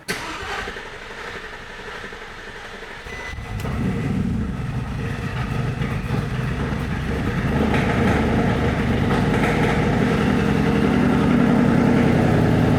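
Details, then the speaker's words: Porsche Cayenne Turbo first start after rebuild, battery just reconnected, fuel rail had been off: healthy starter turns over steadily about three seconds before the engine catches and settles into a deep, rising run; extended cranking likely from fuel rail refill. "And of course, because I had the fuel rail, the fuel rail was off. I imagine that's why it took a little bit of time to get going."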